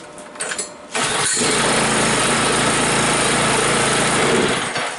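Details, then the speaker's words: John Deere 56 lawn mower with newly fitted engine, primed, brake spring wired back, kill wire reconnected: brief crank, catches at once, steady even run without misses or knocks; starts up real nice, normal start and run. "Yeah, it does. That's good. Starts up real nice."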